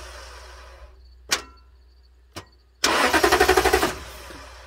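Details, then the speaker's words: 2009 Toyota Tundra 5.7 with an intermittent no-crank for over a year; an immobilizer code P2799 earlier led to a suspected key fault. With the ignition switch bypassed by a relay jumper, it gives clicks then rapid clacking and no crank: faulty starter solenoid, starter replaced. "so the solenoid is the problem on the starter but we're going to change the entire starter"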